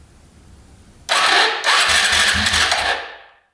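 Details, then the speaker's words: 2011 Polaris Phoenix 200cc ATV cranking. About two seconds of strong, even starter whir as the engine turns over freely: normal cranking. "it actually uh turns over so I think somebody had these backwards on here"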